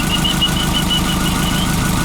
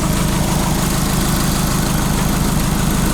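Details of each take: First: VW Beetle with Subaru EJ20 engine, hot idle, oil pressure 1–2 psi hot vs 75 cold: sharp regular tapping about six times a second tied to engine speed; knock with low oil pressure, later improved by replacing PCV valve. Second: VW Beetle fitted with a Subaru EJ20 engine (believed from a 1999-2003 Legacy) at idle after a £20 PCV fix restored oil pressure to over 14 psi: steady, even low burble with regular beat, no knocks or ticks; healthy.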